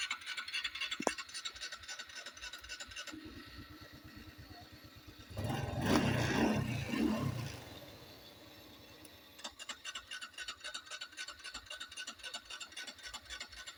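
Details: Honda Wave 110i starter motor spins nonstop as soon as the battery terminal is touched, key off and no dash lights, so the key switch is ruled out. Fast, even whirring at about four a second, no engine firing.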